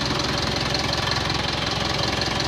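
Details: Mitsubishi Montero diesel with a white-smoke problem, started after cleaning the EGR valve beside the battery with throttle body cleaner. Regular, even idle clatter with no misses; runs quietly and smoothly.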